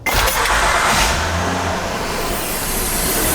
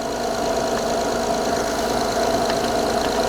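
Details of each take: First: 2012 Honda Odyssey J-series V6, first start after the VCM spool valve oil leak repair, engine cover off: engine catches and settles with a loud steady hiss over idle, a giant vacuum leak. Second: Honda J-series V6 after replacing the VCM spool valve to fix a front-head oil leak, engine cover off, after fixing a vacuum leak on startup: idles steadily and quietly with an even hum, no hissing, knocking or visible leaks.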